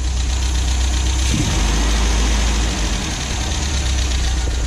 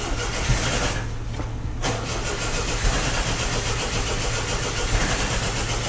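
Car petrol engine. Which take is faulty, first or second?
second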